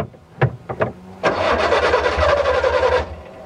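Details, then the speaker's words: 1981 Suzuki Jimny LJ80V with original 800cc engine: first crank fails to catch, second crank fires into a rough idle; owner says it is a bit hard to start, needing two tries; hard starting. "Ini agak susah emang. Tuh, harus 2 kali baru nyala ya."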